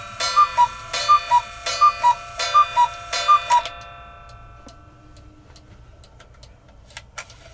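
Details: Modern cuckoo clock fitted with a brand-new replacement movement after hammer and gong adjustment: crisp, evenly spaced tick-tock at about eighty beats a minute, then quiet; the movement is running smoothly and in beat.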